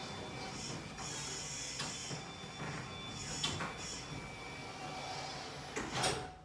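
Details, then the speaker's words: Destiny 1120 belt-drive overhead garage door opener with a door replaced about 6 months ago: quiet, steady whir with a thin even tone and light door clicks; it runs smoothly and fast, normal. "It's a very quiet operator. This is a brand new overhead garage door."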